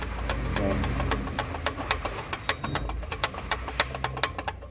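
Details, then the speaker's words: Toyota Hilux 3.0 diesel with a customer complaint of a loud noise at morning start, accessory belt removed: a loose, irregular knocking and ticking about four per second. The water pump bearing has large play and the pump was replaced. "se conectar com só grande na bomba lá e o barulho que ela faz é uma bomba a bomba está com uma folga bem grande"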